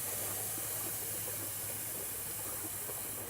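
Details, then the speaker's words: Astral 420 cartridge pool filter with the belly band removed: steady airy hiss slowly easing off as air pressure bleeds from the tank before the lid can be lifted. "Now again, it's still trying to let the air pressure off. If you try to pick up on it, it's going to be really hard because this is vacuum sealing itself down right now. So you've got to get the air off the system."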